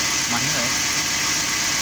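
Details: 2005 Chevrolet Celta 1.0 VHC at idle after a small pebble was removed from the accessory-belt idler pulley groove: even idle hum under hiss, no knocking or ticking. The earlier noise resembled a rod knock; now normal.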